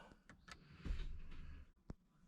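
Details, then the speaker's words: Jeep JK Rubicon electronic sway bar disconnect, serviced after water got in during deep crossings, in 4WD: a short low motor whir, then a click as the actuator cycles normally after repair. "Okay, so turn it on. It's a 4-wheel drive. I'll push the sway bar button. I can hear it."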